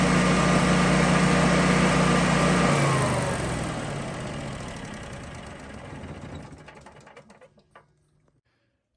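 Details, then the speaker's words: Generac standby generator with a slow crank, battery 4 to 7 years old, after charging the battery: quick, even cranking catches and runs strong, then winds down smoothly. Now cranks much faster and starts well. "definitely is cranking over a lot faster and she starts up pretty pretty good"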